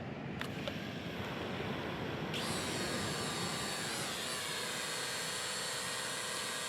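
After a quiet start the rotors spin up to a steady high buzz with no rattle or surging, a drone hovering normally.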